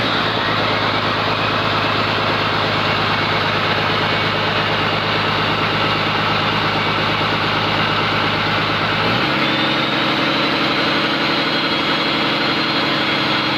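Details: Komatsu PC200-8M0 diesel engine running after overhaul: even, steady idle with smooth beat dropping to a lower settled speed, no knocks or misses; healthy normal idle.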